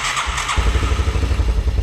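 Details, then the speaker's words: 1984 Yamaha YTM200 that sat unused for a long time: it cranks, then catches into rough low thumping only on sprayed carb cleaner. Spark and compression are fine; the carburetor is not delivering fuel and needs cleaning. "there it is so that tells me this engine is not getting fuel when i add fuel to the system it runs so that tells me everything else is checking out it's got to be this carburetor"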